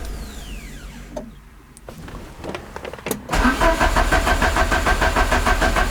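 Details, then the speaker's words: Peugeot 205 CTI just after refitting the starter: clicks and handling noise, then a steady fast starter churn that never catches. Crank, no start, out of fuel. "bon déjà le moteur tourne c'est déjà une bonne chose maintenant toujours garde pourquoi elle démarre pas ça c'est vraiment bizarre"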